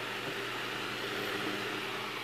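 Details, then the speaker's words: 1940s Chicago Electric Handybreeze desk fan after cleaning and a few drops of oil: smooth, constant airy whir with a faint low motor hum, no rubbing or rattle; fan motor runs normally. "it's got a little bit of motor noise but that's okay"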